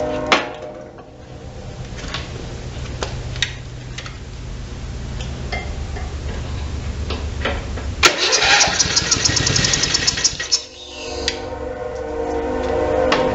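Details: Simplicity 4212 garden tractor, old stale fuel with the fuel shutoff off: slow cranking, then it catches and fires in short bursts on starting fluid before fading, pointing to fuel delivery. Cause suspected, not confirmed.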